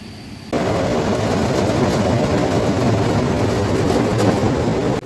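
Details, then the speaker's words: Cooling water pump in front of a cooling tower basin: rough gravelly crackle over low rumble from cavitation at the sump suction via vortex/suction puddle, pumping an air-water mixture. "but you can hear some abnormal sound from this pump due to cavitation at palum suction and the pump is pumping mixture of air and water"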